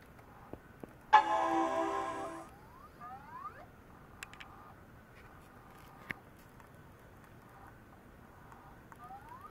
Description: Apple Macintosh PowerBook 520c making weird noises. I think the hard disk is toast.